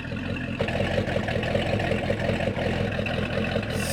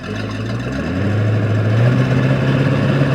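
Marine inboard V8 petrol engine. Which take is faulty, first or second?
first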